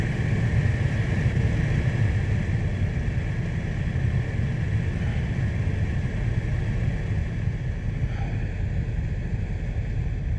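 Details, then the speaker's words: 2014 Ford F-150 XLT 3.5L with complaint of blower motor stuck on high, head unit ruled out; blower stepped down from max (about 20 A) through 10 A and 7.5 A to low: steady even whoosh easing lower, no rattle or squeal. Normal blower motor operation. "now i'm gonna increase the pulse width by just bringing up the speed and you'll see as i bring it up that on time and that's max right there guys"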